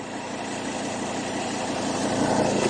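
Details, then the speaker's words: Ford Ranger 3.2 diesel idling after tightening the loose top nut: even smooth hum, no knock or clunk; the suspension noise is gone. "Ayan oh. May nut sa ibabaw. Tinihita natin. Nawala na yung tunog niya."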